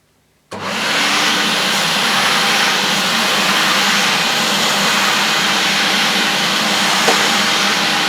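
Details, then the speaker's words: Vintage 1976 UK-made Hoover S4002 Freedom cylinder vacuum cleaner switched on: it spins up to a steady, even airy roar with no grinding, rattling or speed wobble; normal motor running. "Well, I think that sounds okay. I'm no expert on what an electric motor should sound like."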